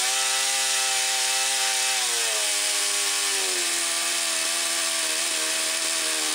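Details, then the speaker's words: Yamaha Phazer 2 snowmobile two-stroke with old gas drained, fresh gas added, carbs reset to factory settings, started on a jump pack: revs drop in uneven steps when given throttle; rough running, owner suspects one cylinder and needs plugs. "all right so it starts it uh doesn't like me giving it throttle but it starts"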